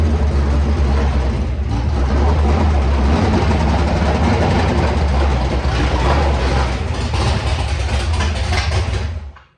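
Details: Ford Galaxie race car with an FE engine, a noise picked up at the last race: loud, deep, rough idle with a loose, uneven knock about three times a second, then shut off quickly. The cause is unknown; the owner suspects possibly a header tube.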